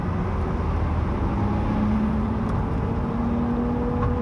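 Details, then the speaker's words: GMC van driving, on throttle up to about 50–60 mph: steady droning whine over road rumble, climbing with speed; extremely loud rear end noise. "i really hope you guys can hear this because it's the most annoying sound but it also sounds like you're kind of hitting like warp speed"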